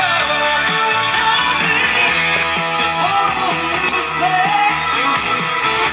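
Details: GE World Monitor radio on FM after IF transformer capacitor replacement and alignment, tuning spring replaced, no null point between peaks, AFC working: music clean and steady with no hiss, fades or dropouts; batteries possibly low; normal FM reception.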